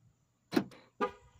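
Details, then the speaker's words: 2014 Chevrolet Impala Limited LT with non-working security system, key out, locking with hood open: two quick horn chirps half a second apart, which should not happen with hood open; security fault, cause unknown. "car shouldn't have locked or well shouldn't have sounded the horn if the hook was open"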